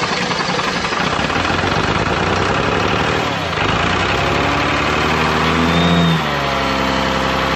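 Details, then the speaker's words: 12-valve Cummins diesel, five-speed, hard starting in winter: cold engine churns and stumbles unevenly, about four pulses a second, before catching and settling; slow to fire on all six, owner suspects injection pump or injectors. "i think there's probably something wrong with the injection pump or injectors because it takes a while for this thing to fire on all six"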